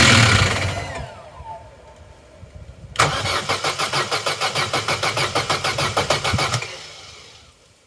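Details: Vauxhall Corsa B left sitting 4–5 years, new battery at 12.1 V: starter spins the engine about four even beats a second for three seconds, never fires; spark confirmed, fault lies in fuelling.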